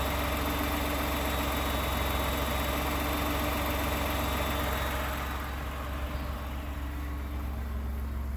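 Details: 29K-mile 2018 Ford F-150, 2nd-gen 3.5 EcoBoost V6, at idle: quick, fairly even light tapping, about 220 per minute, over the engine note. The owner cranks longer to prevent cam phaser startup rattle. Engine knocking at idle, cause unknown.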